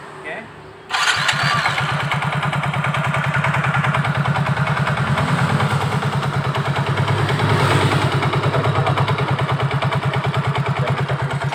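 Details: Soul GT scooter starts and idles with a rough, rhythmic knock about three a second, resembling a bad connecting rod but traced to a loose CVT pulley.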